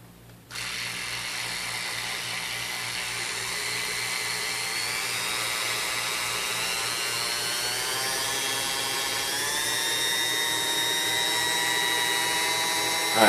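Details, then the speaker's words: Vintage Sunbeam Mixmaster Model 9 that sat unused a long time, run through its speeds before restoration. Even motor whine slowly climbing in pitch, labored to reach speed; it drags and the speed cap is very hard to turn, likely hardened grease. "sound good it sounds like it's Dragunov this though and the speedcap is extremely hard to turn here but I think that maybe all just signs of sitting around"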